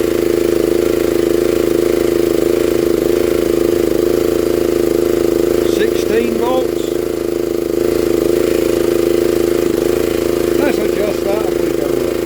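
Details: 1960s Honda ED250 DC-only generator, likely not run in years, revived; DC output measured around 11.5–18 volts. Steady, even drone at constant mid pitch, no misses or knocks; running smoothly and healthy.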